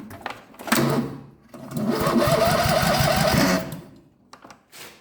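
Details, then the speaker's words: 1999 Murray lawn mower, starter motor refitted with a new gear, spark plugs unplugged: short even whir as the starter spins the engine, gear engages and drops back cleanly with no grinding. Normal starter cranking. "That seems good. I can see that the gear jumps up and goes down. I'm happy with that."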